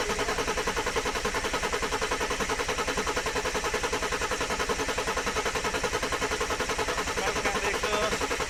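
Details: Mercedes OM606 diesel in a Land Rover build, first start after fitting the injection pump and turbo: steady churning crank at about 3.5 pulses a second without firing; glow plugs not yet wired, suspected cause of slow start.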